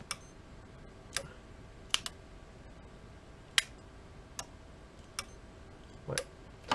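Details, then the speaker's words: Unicum tubular motor for a submerged pool cover: sharp, irregular relay clicks from the control box with no motor hum following; the motor does not turn, there is no voltage at the motor terminals, no fault light, and the automatic fuse blows after replacement. "le système de commande fonctionne on entend bien le coffret qui a les relais qui claque"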